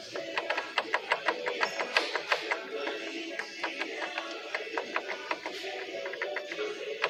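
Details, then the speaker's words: Fiat Palio Fire water pump, apparently new but stained at the breather as if its seal burst: rapid, uneven clicking and ticking, about three a second, that sounds like it is inside the engine; the water pump shaft bearing is worn. "Barulho no eixo da bomba d'água. É o barulho que que o cliente tá ouvindo aí, né? Aparentemente dentro do motor."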